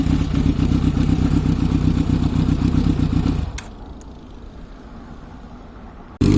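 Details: Honda CB900F 16-valve four-cylinder motorcycle: even, throaty four-cylinder beat runs smoothly a few seconds then shuts off cleanly; normal running.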